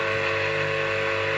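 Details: Electric motor on 220 V via a 10 µF Soviet start capacitor (delta needs 15 µF), wired in delta: constant loud electrical hum with a strong buzz over the whir. Owner says delta runs louder and hotter than star.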